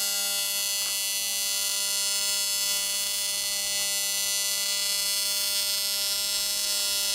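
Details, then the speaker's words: AC TIG welding a water jacket wall at about 250 A and 200 Hz on a 280 machine: loud, steady, harsh electric buzz with a piercing high edge and no breaks. Normal AC TIG arc buzz. "why is it so loud cuz I'm running uh I'm running at uh at 200z wow yeah"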